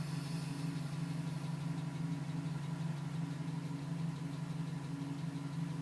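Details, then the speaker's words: 2010 GMC Sierra V8 with 2000 miles, cold start, still tapping at 4 minutes: steady tapping about three per second over a low hum; stops at 5:42 once warm; owner suspects piston slap, unconfirmed. "Still tapping at 4 minutes."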